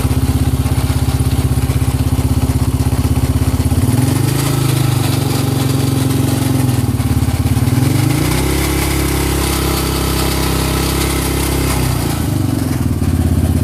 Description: Rattle moteur de yamaha raptor 700 valve bien ajuster je trouve pas ou sa vien le rattle